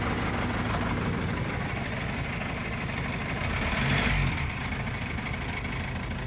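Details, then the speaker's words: Gazelle with Cummins ISF 2.8 diesel, 165,000 km, idling rough and smoking: loose uneven knock about four per second traced to cylinder 3, the knock and smoke source; suspected leaking injector causing micro hydro-lock, not confirmed. "Третий цилиндр источник стука и дыма вот я его включу сейчас скорее всего самая вероятная причина микро гидроудары из-за льющейся строй"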